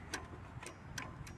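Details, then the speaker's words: Toro Wheel Horse 8-25 ride-on mower, key on, seat switch jumped: sharp, clear clicks about every half second as deck engagement and neutral levers move, showing interlock safety switches working. "when I lift the deck engagement you'll see the switch start to move on and off same thing on the neutral selector on and off if I hear that clicking that's the switch"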